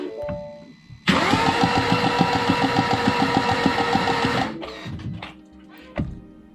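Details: Mini John Cooper Works auction non-runner after new starter and extra earth, plugs out: starter spins engine with even quick pulses, about three per second for three seconds; spins freely, not seized. Normal cranking, engine not seized.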